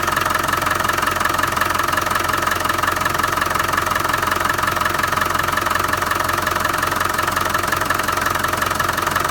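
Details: Land Rover 300Tdi diesel at steady idle: a sharp, even knock about three times per second rides over the diesel clatter; engine knock of unknown cause.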